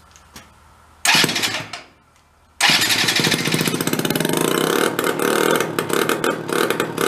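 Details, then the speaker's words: Benelli Andretti M50 scooter, about 500 miles, long stored non-running, after reassembly and fresh fuel: engine runs raggedly at low speed and bogs on throttle blips instead of revving out. "so all right we can't get any revs out of it that's our issue"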